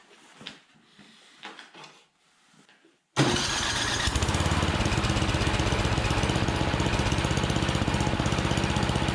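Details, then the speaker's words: Troy-Bilt Storm 7524 24-inch snowblower, never maintained, previously wouldn't start; after quick tune-up, electric start hooked up: quiet handling, then engine catches at once and settles into a steady, even chug, starting and idling normally. "So we're gonna hook up the electric start and I'll show you that that works."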